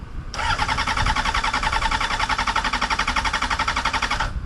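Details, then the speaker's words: Vehicle with newly installed battery; strong, steady starter cranking about four turns a second for four seconds with throttle, never catches; starter and battery fine, cause unknown, cranks but won't start. "is getting old it's obviously not the starter everything's firing battery is obviously charged or it wouldn't it wouldn't sound like that at all"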